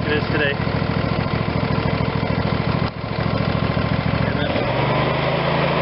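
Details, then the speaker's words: Craftsman YS4500 tractor, Briggs & Stratton 22hp OHV Intek twin, after full carburetor cleaning and reassembly: pulses evenly at idle then settles into steadier higher note, running clean without choke; normal running, idle previously rough. "As you can see, we've come a long ways from where we started, where we couldn't even get the idle smooth, and at full speed it still had to have the choke out."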